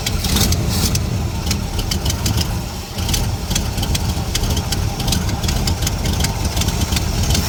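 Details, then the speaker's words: 1968 Ford Mustang restomod V8 with headers, carburetor working, push-button start: rough idle with sharp irregular ticking and puffing on one side; slight exhaust leak despite bolts just tightened, owner suspects a loose header bolt. "thund sounds good besides a slight exhaust leak on this side I don't know why cuz I just C all those bolts maybe one the bolts r l but it's running now"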